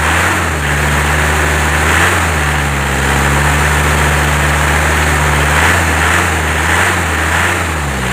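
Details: Isuzu Crosswind Sportivo diesel after engine refresh, cooling system refresh and clutch fan repair, road-tested and tuned: deep, even idle with steady low drone, no knocks or misses; healthy normal idle.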